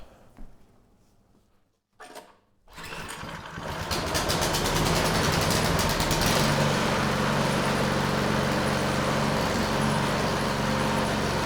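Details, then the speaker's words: Neglected outdoor-kept Craftsman snow blower, model 247.889571, ignition and choke on with primer squirts, cover off: catches after a few pulls, steady even buzz at constant speed; engine, drive and auger all working. "nice well it's hard to believe it but this is a viable machine all the major systems are working you know the engine's good the drive systems good and the augur is good"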